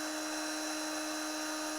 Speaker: oh it dropped to 47 volts now what happened when i cover the airflow [Applause] the voltage go up to 68.1.2